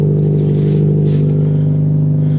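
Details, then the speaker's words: Junk car with rotted-out exhaust at steady idle: deep, loud drone with an even low beat and no muffling, one of the loudest cars started; the exhaust leak is suspected from the rotted exhaust. "and of course a loud Echo right here that is probably the loudest car I started up actually no the Mark 8 is but this one has rotted out exhaust too"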